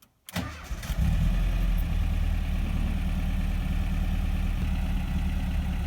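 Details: Rebuilt air-cooled VW Vanagon Type 4 engine, warm restart with pretty old battery and a used starter from an '81 non-camper van transmission: brief crank, catches within a second, settles to steady even low idle; normal warm start.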